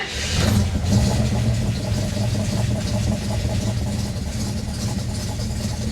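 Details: 1967 AMC Ambassador after fuel system repair, fuel pump on switched ignition and primed, no leaks: engine catches at once on the first crank, then settles into a smooth, steady idle with no misses or knocks; normal start.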